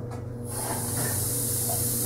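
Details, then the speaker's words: Newly installed 33,000 BTU Modine hydronic unit heater tied into a hot water boiler, filling the coil: steady hiss over a low hum as the vent purges air while the system fills with water. "can hear the vent purging off the air now we'll turn on the return"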